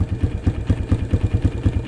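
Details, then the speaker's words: 2003 Honda CRF230F hot, airbox snorkel still on, hard to start, worse with half choke: slow uneven idle with soft regular thumps about four a second; suspected too rich, not confirmed. "She might be running too rich now. Just as I suspected."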